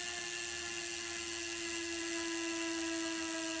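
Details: Wahoo Kickr v2 trainer flywheel with an experimental (owner says unsafe) counterweight added to cure high-speed vibration: a steady, even mid-pitched whir without wobble or knocking, only tiny vibrations remaining.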